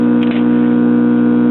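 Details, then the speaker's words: 1970 Imperial 4-speed tube child's record player, single-tube chassis with selenium rectifier, just warmed up: loud constant fixed-pitch low buzz throughout; mains hum from a bad filter capacitor. "Let it warm up a minute. Well, bad filter capacitor. No surprise there."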